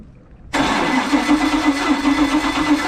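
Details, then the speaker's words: Volvo Penta 5.7 marine engine that shakes and runs badly, cranking: uneven starter speed with a surge at the same spot each turn, transom noise felt in the exhaust pipe; exhaust valve stuck with no compression, number one cylinder at TDC. "I hear it out the exhaust you hear that transom noise I can feel it in the exhaust pipe so we've got an exhaust valve that's stuck and it's at TDC number one"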